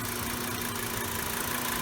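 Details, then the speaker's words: 2010 Volkswagen Jetta SportWagen 2.5 SE with 2.5-liter five-cylinder engine at about 5,000 miles: steady, even idle hum with a smooth light hiss on top, no knocks or ticks; normal healthy idle. "And we'll take a look at the engine. It's got a 2.5 liter 5-cylinder engine."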